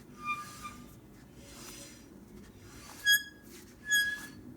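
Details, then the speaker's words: Vintage British motorcycle with custom dual front disc brakes: short high-pitched squeaks as the front wheel is forced around, calipers jammed so the wheel barely turns; one rotor scored; calipers to be disassembled. "right now though the calipers seem to be jammed i can't turn the front wheel you can hear it"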